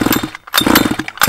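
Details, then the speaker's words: Flooded Baja two-stroke with the spark plug removed: three quick bursts of rapid chuffing from repeated cord pulls, pressure blowing the excess fuel out of the head before the plug is refitted. "so what's happening here is we're sending all the fuel down to the head and as we pull it it's this all the pressure is this blown all out all the fuel out"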